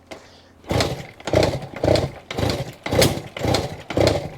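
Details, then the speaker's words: 1967 Yamaha YCS1 vintage two-stroke twin, kick-started after new plugs and cleaned carburetors: loud rhythmic chuffs and pops about twice a second but never catches and runs; owner plans to fix the starter. "We're getting some signs of life. We're not running yet, but we got some signs of life."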